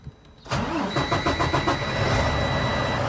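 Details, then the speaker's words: Freightliner Cascadia DD15 diesel after oil service and fuel filter change with fuel system primed, in neutral: starter churns a few beats, catches cleanly, settles into steady idle; oil pressure should rise. "nice start oil pressure should jump up"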